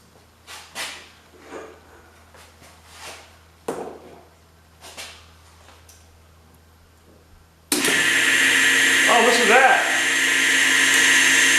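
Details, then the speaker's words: Rebuilt electric motor running on low speed with a junk front bearing: it spins up with a rough, hissing rush over its hum from the worn bearing, but it runs. "That junk front bearing I put in there don't sound too good, but uh it runs."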